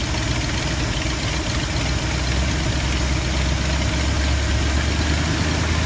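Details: 1972 Ford F250 with 360 V8, after a Pertronix Flame Thrower II distributor install with new coil, cables and plugs and the distributor repositioned: steady, even low idle rumble with no misses or stumbles and nothing irregular in the firing; normal idle.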